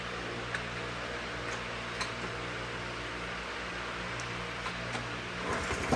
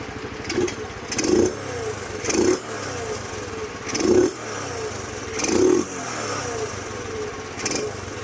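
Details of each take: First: 2007 Honda CT110 idling after the cam chain was adjusted as far as it would go: light, uneven top-end ticking every second or so. It is still a little noisy, so the cam chain is probably slack and the cover may be pulled to check it. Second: 2007 Honda CT110 after sitting three years, restarted on fuel tap "on" and kickstart after carburettor and pilot jet cleaning; the single answers throttle blips cleanly and returns to a steady idle, running well.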